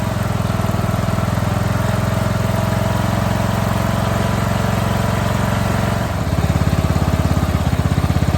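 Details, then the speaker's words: Long-abandoned scrap mower single-cylinder engine, first run after basic maintenance, no air cleaner yet and carb not finally adjusted: steady, even thrum at constant speed, no knocks or stumbles; runs really good. "she's running really good so I can't do the final adjustments on that carb until I get an air cleaner on it really really good very happy with that sounds great"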